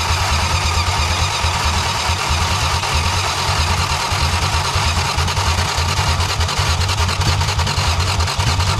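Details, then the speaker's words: 1962 Plymouth Valiant Slant Six with automatic, first running after months of non-starting: loud, fast, roughish six-cylinder roar held at high revs with throttle wide open, racing rather than settling to idle. "the throttle's wide open oh I was like I don't know what we're but okay we run now got it it'll run now"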